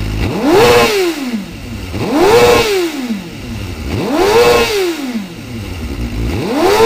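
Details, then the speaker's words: Car that tops out at 117 mph in 6th and bogs from a stop; fuel pressure 43 psi at idle, dropping while driving; fuel delivery test failed, owner suspects the fuel pump. Earlier it cut out near 8,000 rpm, but here clean throttle blips rev freely. Normal free revving. "I know I hear it actually it's revving how it should rev right now which is confusing me"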